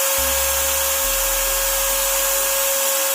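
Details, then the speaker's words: Angle grinder after fixing armature banging inside the field coil by shimming the worn bearing cap with winding insulation paper: steady high whine over an even hiss, no banging or rattle, normal smooth running. "देखो guys silently और smoothly चल रहा है।"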